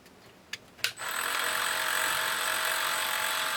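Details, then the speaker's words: Ryobi Hobby Station RHS01 with rotary tool mounted: two sharp clicks, then motor rises to high, steady whine at even pitch; spins normally. "Oh, look, it's working. Woo, yeah."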